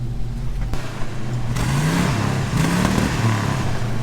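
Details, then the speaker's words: 1950s Chevy 3100 Apache pickup with old carbureted V8, manual clutch, started on choke and driving; blips up and down with a lumpy, loose burble and terrible smell, running very rich, carburetor to be leaned out. "It smells terrible. Very rich."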